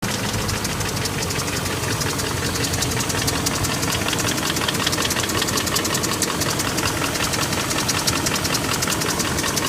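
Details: 2001 BMW 740i (E38, M62TU V8), warm idle about 20 minutes after starting: light fast ticking/rapping that is absent at cold start and grows louder as it warms; engine then won't restart for a while after shutdown. Cause unknown.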